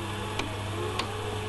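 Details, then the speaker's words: Slush machine spiral gearbox: sharp clicks every rotation over a steady motor hum, from a split gear in the gearbox. "this is a a cab gear box whereby the gear has actually split and you can hear it the the clicking every single rotation of the"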